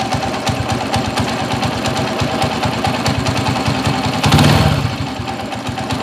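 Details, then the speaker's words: TMX155 motorcycle engine, still hot, with rough running in first and third gear: a clattery idle with a steady rattling beat from the bottom end, due to loose crankshaft bearings. "magaspang ang primera magaspang ang tersera che-check natin mamaya tapos makalog kog yung bearing ng segunyal"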